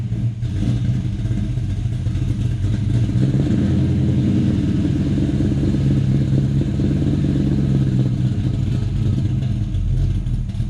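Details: 1984 Ford Mustang GT350 302 carbureted V8, cold, just after catch can install and PCV reroute: even deep idle, steady low burble, no knocks or misses; started right away, runs healthy.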